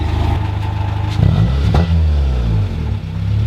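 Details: Honda Civic after fitting a cheap eBay cat-back exhaust, revved from inside with windows down: smooth low idle rumble, clean blip rising and settling; deeper even exhaust note, normal.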